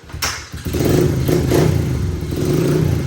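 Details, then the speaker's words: 2004 Honda 70cc dirt bike after new intake and full exhaust, started cold and warming up: lumpy, uneven revs with some clatter, not holding a clean rev; bike seems tired after a trip, owner thinks the carb needs adjustment. "This one's a little cold. It's gonna need a minute to warm up. There we go. Now it's awake. Not as easy to wheelie on this one, but the front brake works better. I think this bike's a little tired. It had a good trip. Might need a little adjustment on the carb."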